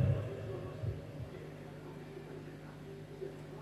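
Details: Microphone plugged into a mixer's mic (XLR) input: steady low ground-loop hum with a faint buzz. Grounding the accessory/mixer reduces it.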